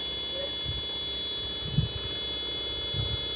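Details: Chinese TV switch-mode power supply with B+ output only 7 V, powered through a series bulb: steady, piercing siren-like squeal with dull thumps underneath.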